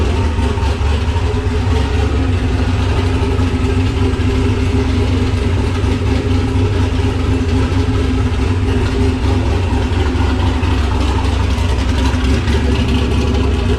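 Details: Nissan Patrol Y60/GQ SWB with a turbo LQ9 6.0 iron-block V8 (Camtech turbo cam, Holley Terminator X), dead cold after sitting two days, exhaust not yet complete. Loud, lumpy big-cam idle, steady and even, healthy.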